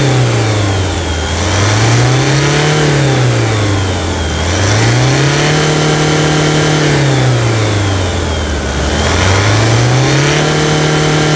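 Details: 2017 Toyota SW4 2.8 1GD diesel after engine failure and reinstallation, fresh oil after a first run: revved smoothly three times, pitch climbing and dropping cleanly, no knocks or rattles; healthy engine.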